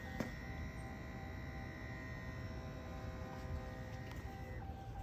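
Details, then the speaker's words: 2020 Ram 2500 Cummins diesel after oil and fuel filter change with aftermarket filters: key-on electric lift pump primes with a thin steady hum for a few seconds then cuts off cleanly. "You can hear the pump. It's priming right now. You can hear it run. Hear it, it's pumping up."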